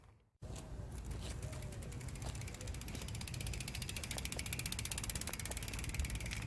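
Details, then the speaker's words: Shadow Conspiracy Symbol cassette rear hub, freewheeling: fast, even ratcheting clicks about four per second with light wind underneath. Normal freehub clicking. "just wanted to give you a chance to hear what the shadow hub sounds like you know it's a for Paul individual spring if I remember correctly"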